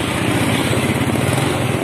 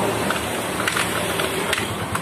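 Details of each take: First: Yamaha Mio scooter, cold engine, exhaust heard by the roadside: uneven, stumbling stutter on initial throttle, dying if forced; fine when hot; also hard to start in mornings; the carburetor had been replaced with another. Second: Yamaha Mio scooter with a stumbling first throttle and hard cold mornings, running after parts were thoroughly sprayed clean: even, steady putter at idle with a regular firing rhythm and light throttle blips; runs cleanly.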